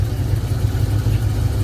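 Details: Chevy box-body V8 idling after a cam install: deep, uneven, loping idle with a steady choppy pulse and no knocks, normal big-cam sound; owner suspects clogged fuel injectors or weak fuel pump causing hesitation under load.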